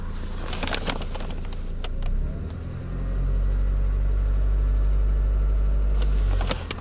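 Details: Mercedes Vito, post-facelift, M111 2.3L petrol, automatic, warm idle at 832 rpm, oil 55°C: heavy low drone with a light repeating knock about three beats a second; engine knock at idle.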